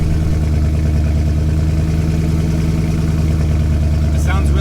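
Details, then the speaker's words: Twin-turbo Mustang on E85 after refitting the exhaust: deep steady even idle with no misses or hunting after start-up, settling where it should idle. "sounds good if I put it back in park you'll die that's where it should be idling"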